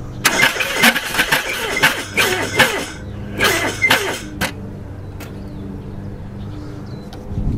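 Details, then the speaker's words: Subaru Ace M70 kei car, timing setting uncertain, oil found well overfull (owner wonders about head gasket): uneven, lurching cranking in short bursts with irregular thumps, sounding out of time; abnormal cranking noise. "That's weird. It actually sounds like it's out of time or something."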